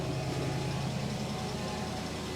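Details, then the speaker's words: 1999 Mercedes S420 W140 V8 just started after throttle body replacement: steady, even low idle with no misses or knocks; slight ticking noted elsewhere and power steering pump low on fluid; engine idling normally. "but look at that oh yeah she sounds so good"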